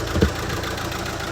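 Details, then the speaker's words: Mercedes A180 CDI with replacement engine at only 20,000 miles, car largely unused about two years: uneven, lumpy diesel idle with irregular thump breaking the rhythm; misfire, scan code open-circuit injector cylinder three. "a mercedes with a rental engine in with only 20 000 mile on misfiring because there's an injector going off as you can see a180 cdi it's chugging away as you can hear"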